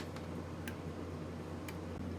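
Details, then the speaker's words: High-pressure aeroponic system: misting solenoid valve on a timer set to one second, sharp light clicks over a steady pump hum as it cycles on and off after the adapter is plugged in; working normally. "now i just hit confirm and it's working clicking on off see it on off on off and now all i need to do is just plug in my adapter and here you can hear this clicking okay so let's not have that happening"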